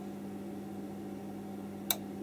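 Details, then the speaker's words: 1980s Marantz PM-45 amplifier: a steady low hum, then one sharp click as the protection relay disconnects the speakers because of high DC offset on the output. "so you can hear sorry hear that click that shows there's signs of DC offset on the amplifier"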